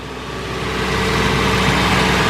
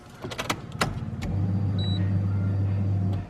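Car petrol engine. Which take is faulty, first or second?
second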